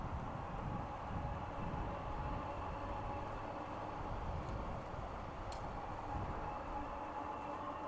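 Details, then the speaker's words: New SILVEL 8kW 12V diesel air heater lighting off for the first time, with smoke at the exhaust and air not yet warm. A low, even whoosh of fan and burner with no knocks or rattles: a normal start-up. "okay I'm starting to hear the uh noise come out some more you can see carefully there's some exhaust coming through it's not quite warm yet but it's starting to blow"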